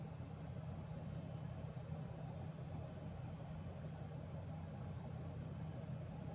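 A steady low buzz at constant pitch over a soft hiss, with no change in rhythm; the card is buzzing, cause not known.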